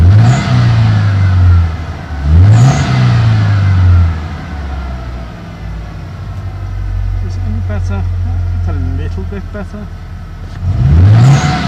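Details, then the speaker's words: 1991 Ford Ranger 2.3 after cam belt change, EGR and MAF cleaned, just restarted: engine blips and settles into a lumpy, uneven, stumbling idle; owner suspects idle control valve, plans valve timing and ignition module checks. Rough idle. "might have to do the ID control valve again because it's kind idling kind of hard"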